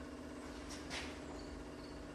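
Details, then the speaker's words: 1948 Ford F-5 truck before a cold start: ignition on, engine silent, out of gear; a soft, steady hum as the electric fuel pump primes the carburettor before cranking. Normal fuel pump priming. "And the pump is still pumping. Let's see what we get."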